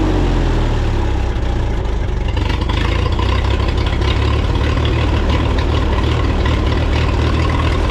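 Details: 1954 Minneapolis Moline UBU tractor after tune-up (new plugs, wires, cap, rotor, points, condenser, carb clean, timing set): steady, deep, even chug with no knocks; healthy idle.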